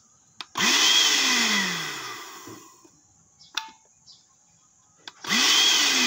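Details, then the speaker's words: Automatic blender with electronic module: motor whirs to a high whine for about two seconds, winds down and stops, then restarts, repeatedly cutting out after a brief run; faulty module suspected. "Sudah kita Nyalakan jadi hanya nyala sebentar mati sebentar mati ya"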